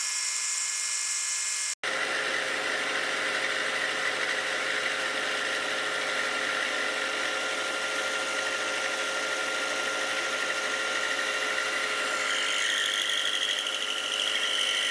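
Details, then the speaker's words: Milling machine cutting frame parts for a DIY hub dyno: constant high squeal over the steady motor hum, not from the cut; suspected electric motor or variable-speed drive. "as you can hear the all that squealing it's not actually coming from the Machining um coming from the I don't know the electric motor up there or the uh speed mechanism"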